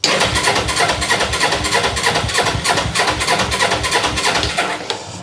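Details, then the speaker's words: Motorcycle, sidestand up, clutch in: catches with an uneven chuffing beat about three per second, then fades and dies; fuel starvation suspected, runs once the tap is moved to reserve. "Well, it started for a second."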